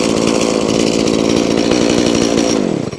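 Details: Stihl MS180C (easy-start) chainsaw brought in as a no-start, held at steady high revs with smooth even buzz, no misfire or stumble, then released, while shown oiling well; running healthy.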